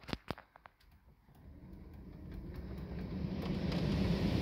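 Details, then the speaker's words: Mini One with a K-Bus fault where the blower motor had stopped working. With the ignition on, the fan is turned back on: a few clicks, then a low, steady whoosh building smoothly. The blower is running normally at this point. "so ignition is currently on so all being well I'll turn the fan back on so you can hear it"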